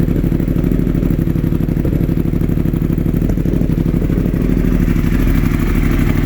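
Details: 2016 Yamaha R1 after a mild lowside crash: uneven stumbling idle with constant misfire on cylinder 4; swapping coils with cylinder 1 didn't change it; cause unknown.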